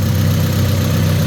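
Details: Black Honda EK Civic idling after the exhaust leaks were repaired (leak hole welded, crush gasket good, new hanger fitted): steady, deep, even idle with no puffing or ticking at the joints. Exhaust sealed, engine runs smoothly.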